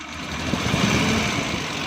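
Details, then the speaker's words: 2012 Suzuki Bolan misfiring on both CNG and petrol, light throttle blips: ragged, stumbling uneven beat; mechanic hears high-voltage current leaking and suspects an ignition short causing the missing. "दोस्तों इसका करंट का आवाज़ आ रहा है, कहीं से इसका current short है जिसकी वजह से ये मिसिंग कर रही है सीएनजी पर भी और पेट्रोल पर भी।"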